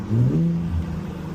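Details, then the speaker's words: Infiniti G25 (VQ25HR) with new Injen intake SP1961P, hot 94–95°F day, ECU still adapting: deep rising growl pulling away then even drone; healthy engine with louder throaty intake sound under acceleration. "Oh yeah, it has way more induction noise, way more. Sounds super throaty, you know, and obviously the computer has got to adjust, so I don't expect it to be at the top of its game right now, especially with the weather."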